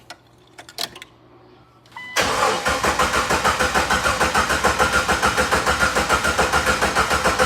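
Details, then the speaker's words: Jeep cranking without firing while the fuel pump primes to purge air from the fuel lines; steady starter cranking about 3.5 turns per second; it later starts and idles a little rough with the check engine light on. "I hear the pump priming. Yeah, it's going to take seconds probably. Almost. Get that air out of there."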